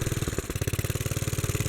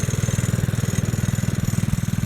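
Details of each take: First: 1957 Bolens garden tractor, type 21HD01, sat for many years, running on choke with quick uneven firing and a stumble; dies when choke is removed, so running lean, main jet to be opened. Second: 1957 Bolens garden tractor (tag Type 21HD01), single-cylinder engine revived after years sitting, with points cleaned, fuel tank changed and carburetor cleaned, main jet just adjusted: steady, even beat about four per second, no misses or hunting; runs clean and healthy.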